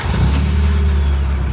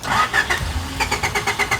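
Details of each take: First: 3rd-gen Honda Prelude, testing a newly installed fuel pump kill switch with the switch not engaged: engine catches at once and settles into a steady, even idle; clean normal start. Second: Third-gen Honda Prelude with newly installed fuel pump kill switch engaged: no pump prime on key-on, rhythmic starter chugging about six beats a second that never catches after leftover line fuel is used; crank no-start from fuel pump cut.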